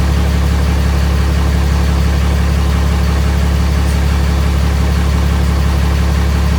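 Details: Freshly swapped 6.7 Cummins diesel in 2nd-gen Mega Cab, first fire after two cranking tries: steady, even low rumble with no misses, knocks or ticks; idles smoothly, healthy.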